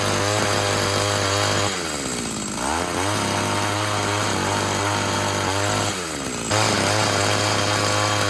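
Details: Tecumseh TC300 two-stroke ice auger after new rings, about 90 psi compression and carb set one turn out, drilling under load: high-revving buzz sags twice and recovers cleanly each time; normal running.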